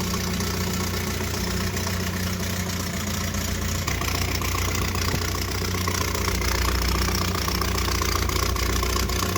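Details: 1978 Triumph Spitfire 1500, jump-started after two weeks sitting; after idling then revving there was a pop, and now a loud, coarse idle with a fast chuffing beat like an old diesel tractor. Owner suspects an exhaust leak, not confirmed.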